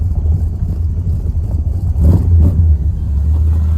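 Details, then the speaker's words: 1976 Ford Thunderbird big-block V8 after a top-end overhaul, new intake and fuel system, and high-flow true dual exhaust, heard from inside the car with windows down on first start. Deep, smooth burble with light blips, no ticks: sounds clean, normal idle. "Oh, yeah. It sounds clean."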